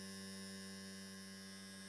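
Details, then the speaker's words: Restored 1950s Mallory car valve-radio vibrator running on 12 V DC and converting it to about 200 V AC: steady, even buzz with no sputter; it is switching normally. "okay the first thing is you can you now know why it's called a vibrator you can hear that that's the noise it makes"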